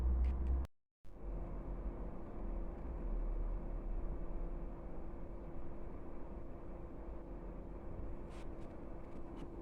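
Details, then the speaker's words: Chinese diesel air heater starting after its motherboard was replaced following error code 3: steady low rumble and even hum as it warms up normally, before the pumps start ticking. "in a minute you'll hear the the pumps start ticking uh but this is a good sign so far"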